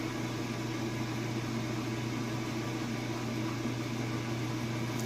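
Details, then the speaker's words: Kenmore washer (used, fully tested) during first rinse cycle high-speed rinse spin: steady even hum with low drone, no thumping or rhythmic banging as drum spins fast; great balance, no issues. "that drum is getting up to speed and going really fast. Sounds good. It's got great balance and no issues whatsoever."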